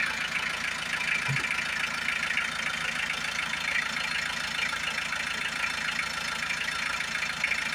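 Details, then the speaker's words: Hyundai H100 with D4BB diesel engine, idling right after a top overhaul done for a noisy engine and weak pulling: even, steady clatter with no heavy knock; the loud knocking it had before is gone; normal idle. "Kaya sir, ito na yung update ng sakyan. Wala na yung kalampag niya."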